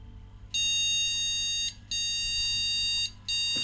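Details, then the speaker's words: Old car-boot-sale PC booting with no RAM installed: long high-pitched beeps about a second each with short gaps, repeating steadily; no-memory POST beep code, distinct from the 3-6 code it gave with RAM fitted. "so he bleeps when there's no run I'll just try cleaning the contacts on the round but I don't actually think that three six is a ram error code"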